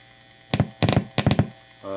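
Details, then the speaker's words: PedalPCB Stockade (Earthquaker Palisades clone) guitar pedal traced with an audio probe: low mains hum and scratchy probe clicks, then steady buzzing squeal wherever the VREF section is probed; boost section works fine. "Everywhere that is, squeal, squeal, squeal."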